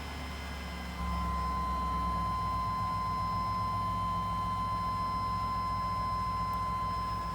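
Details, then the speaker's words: Chevy, after a crank-no-start: a new fuel pump, filter, relay, cap and rotor, crank and cam sensors, and battery didn't fix it; replacing the bad security box did. Now the security light comes on, and the engine catches and idles steadily with a chime. "you can see now the security light comes on and she runs so we're back in"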